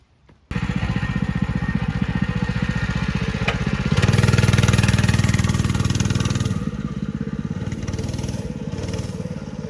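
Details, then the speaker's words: Small single-cylinder mini bike with the chain clutch, before fitting a torque converter kit: the engine revs through take-off with loose metallic clatter as the centrifugal clutch and jackshaft chain rattle around, very noisy. "You can hear the clutch and the jack shaft chain all rattling around. It's terrible, it's noisy."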